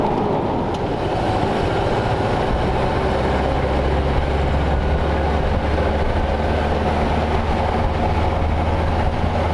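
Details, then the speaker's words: 1932 Ford Roadster cruising in third gear at about 1200 rpm and 40 mph: low, even rumble under road and wind noise, engine so quiet it sounds switched off; normal. "third gear is like that sounds like the engine just literally shuts off yeah it does the RPMs are that low it's like probably like 1200 RPMs at 40 miles an hour which is good"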